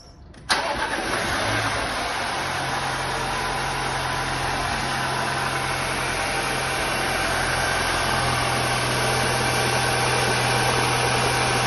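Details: Audi A6 after repair: engine cranks, catches and settles into smooth idle with no belt squeal, after worn auxiliary belt tensioner causing cold-start squeak was replaced with front end removed.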